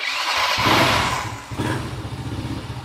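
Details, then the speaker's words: Old motorcycle with electric starter and kickstart, thumb-started: starter whirs briefly, engine catches within a second into a quick even idle; idle still good, smooth, very healthy electric start. "Jos. Dilepas. Stasionernya masih bagus. Dia oke mati. Tapi motor ini sehat, sangat sehat. Masih halus."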